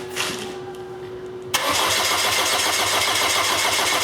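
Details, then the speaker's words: Saturn no-start: even starter cranking about three and a half beats a second that never fires; noid light shows no injector pulse, no spark suspected too; crank no start. "Okay. All right, we have no injector pulse."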